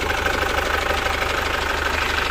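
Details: 2012–2013 Chevrolet Captiva FL diesel with hard starting, weak pull and heavy smoke after Biosolar fuel use: loud, uneven idle with hard rapid clatter; rough knocking idle blamed on fuel system fouled by Biosolar.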